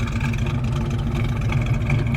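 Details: 1967 Chevrolet Chevelle Malibu Wagon V8 with dual exhaust: low, lumpy, even rumble at steady idle with no misses or ticks; healthy normal idle.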